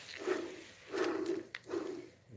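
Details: Old water pump removed from a Dodge 5.7 Hemi, spun by hand: three slow spins, each a dry gritty rasp dying off quickly; rough shaft, pump due for replacement, unlike the quiet new pump.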